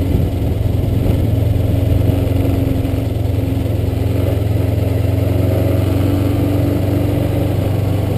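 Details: Kawasaki Ninja 500R running: steady low engine drone with a faint whirring tone on top; odd noise of unknown source, owner told it could be the chain, unconfirmed.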